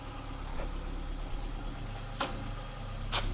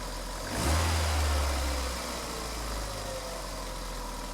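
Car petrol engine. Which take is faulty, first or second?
second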